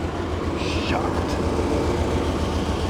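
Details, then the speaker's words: Chevy Blazer with sputtering idle, first start: uneven, lumpy chugging about three to four beats a second, dropping between three and four cylinders; owner suspects bad gas, rough running. "sounds like it's running on at least 4 cylinders so I'm going to go ahead and move it over there real quick and we'll get started oh down to three back to four okay that is straight bad gas woo chucking like a choo choo train"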